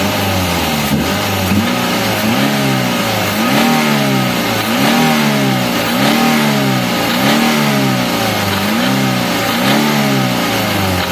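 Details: Daihatsu Gran Max minibus, K3DE 1.3 engine, sent for an engine teardown for being noisy and lacking power: repeated blips about once a second with rough crackly pops. The mechanic suspects the tensioner bearing for the noise and valve clearance for the slow RPM drop.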